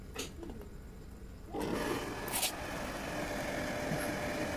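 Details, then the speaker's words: Shimizu 268 BIT jet water pump, previously noisy, after repair with rotation now light by hand, bench-tested on mains power before reinstalling: motor switches on and settles into a smooth, even hum, back to normal. "jadi mesin ini Sudah e halus sekarang suaranya ya sudah normal kembali"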